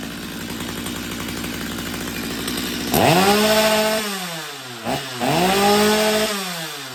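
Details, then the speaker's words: Stihl MS250 chainsaw after carb tuning, cold restart after sitting during chain sharpening: catches and idles unevenly, then revs cleanly up and down twice with a crisp rising buzz; starts cold and runs fine. "all right so I've been grinding on chain for a good while so this this sauce is probably going to be cold now so I'm going to try to restart it and see how she does"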